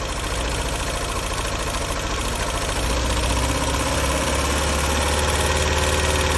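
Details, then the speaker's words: 2001 Mini Cooper R50: rough, uneven idle with a steady stumble. A compression test found no compression on cylinder 1. "then it starts working but I obviously have a misfire here if I disconnect that"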